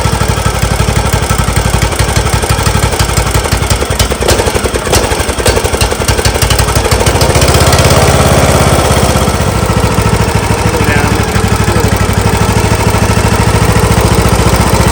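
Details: John Deere LA115 with a 19.5 hp Briggs & Stratton engine that dies at idle and smokes black; spark good, plug replaced and looked rich. It runs with an uneven, stumbling beat, suspected carburetor flooding from a bad needle, unconfirmed.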